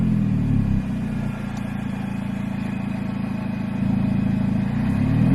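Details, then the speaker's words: R53 Mini Cooper S start-up and revs: engine settles to an even idle, then climbs cleanly on two throttle blips with rising supercharger whine and exhaust; sounds mechanically sound. "what we'll do is i'll give you some start up on the rev off the car as well just so that you can hear like the engine and like the supercharger wine and the exhaust as well"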